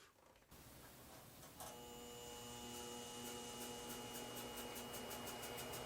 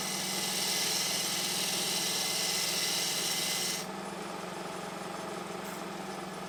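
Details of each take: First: Harbor Freight 12x36 lathe upgraded with treadmill motor: motor whine drops under the cut and loses pull against steady chatter; motor bogging because the drive belt was too loose and slipping, fixed by tightening. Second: Harbor Freight 12x36 lathe fitted with a treadmill motor, belt tightened to stop slipping: steady hum under a rasping cut for about four seconds, pitch sagging only slightly; motor holds speed well under cutting load, far better than old motor.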